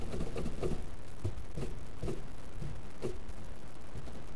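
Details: Deep, steady rumbling growl with faint rhythmic pulsing from a bad wheel bearing that later seized.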